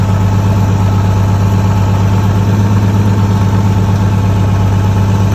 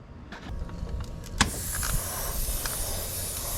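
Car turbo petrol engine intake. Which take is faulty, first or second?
second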